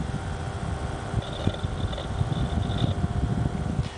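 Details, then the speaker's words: Zalman ZM-1000HP power supply at desktop idle, water-cooled PC: soft steady fan whoosh with low rumble and faint ticking from the hard drives, quiet and even with no whine; the high-pitched squeal appears only under load with Vsync off. "nice and quiet and the Almond finan also nice and quiet this is it idle on the desktop now"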